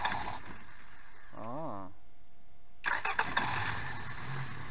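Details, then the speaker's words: Outboard motor that had been submerged: starter whir and audible high-pressure pump, then catches and runs evenly; smokes a little, normal. "essayez de le faire démarrer on a on entend bien autres pompes à haute pression au sud sur le côté on l'entend et c'est parti"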